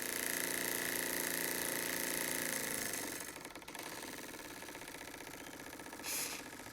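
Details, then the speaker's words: Very old Stevens model dockyard steam engine in a vintage steam boat under restoration, first outdoor steam test after gas jet change: quick, even chuffing about three and a half beats a second with a light mechanical tick; running healthy. "i'm going to leave you with the sight and sounds of a really old stevens model dockyard engine doing what it's supposed to do"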